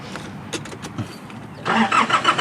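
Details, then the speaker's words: 2009 Nissan Navara 4-door pickup, 2.5 diesel, 6-speed manual, with a good battery: quiet for a moment, then the diesel catches on the first try and rises into a firm, even run; a healthy start. "เดี๋ยวสตาร์ทฟังเสียงเครื่องกันกุญแจรู้สึกจะไว้นี่รถแบตเตอรี่ดีไดดีนะครับต้องสตาร์ทติดในครั้งเดียวนะครับ"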